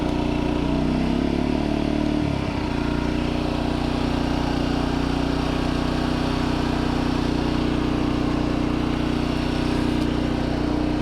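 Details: New 2200 W generator, fresh oil and gas, just after first start on choke: settles into an even, steady hum with no knocks or misses; running healthy.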